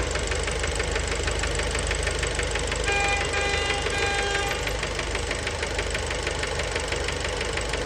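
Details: Fiat Bravo 2 1.4 T-Jet 150 HP, 215,000 km, after recent maintenance, steady idle recorded close to the engine: fast light knock about three per second, bottom-end; worn rod bearings, cause unknown, car scrapped.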